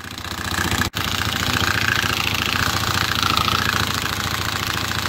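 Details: 2020 Hawk DLX 250cc EFI motorcycle at 439 miles, engine suddenly rattling: busy metallic rattle over single-cylinder beat; centrifugal oil filter nut backed out and spun loose, metal found in oil; risk of catastrophic engine failure.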